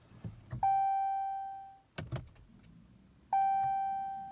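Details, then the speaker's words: 2015 Jeep Cherokee no-start with a battery changed a couple of months earlier: key turned, two warning chimes about three seconds apart and a light click, but no starter whirr or cranking. Headlights and interior lights sometimes strobe when this happens. "it doesn't want to attempt to even turn on or crank or even hear the starter so I'll let you all videotape and see what it does"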